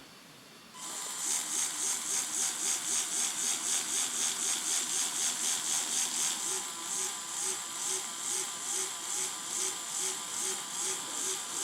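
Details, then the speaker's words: Fischertechnik robotic arm with identical small motors, diagnostics test: high thin motor whine pulsing about four times a second instead of steady; this motor runs unevenly and is weak, easily held down by hand, unlike the stronger other one. "is not running fluent that one is this one is not fluent and I can easily hold it down there is not much there's hardly any force necessary to slow it down and that's worrying"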